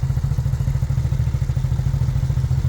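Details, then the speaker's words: Revived first-gen Suzuki SV650S V-twin at idle after work: a deep, even low thump with no knock, only a little noise and no rod knock; the rear cam chain tensioner may need adjusting, and the bottom end is judged fine. "There's a little noise, but it doesn't sound anything like it was. It does not sound like a rod knock, anything like that."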